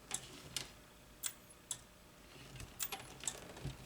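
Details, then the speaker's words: Makvision 3129 27/29-inch NOS arcade monitor, dead out of the box, under repair: the relay suddenly chatters with sharp dry clicks about twice a second as the monitor tries to start, suspected bad solder joint, about 70 V at the horizontal output transistor. "oh hang on what was that oh it's ticking listen there's a relay there's a relay clicking now it's alive"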